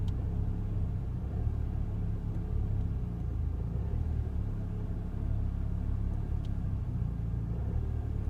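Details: Ford Fiesta ST with engine management light on: low idle rumble with a slight uneven wobble in the beat, no sharp knocks; rough idle, cause not identified.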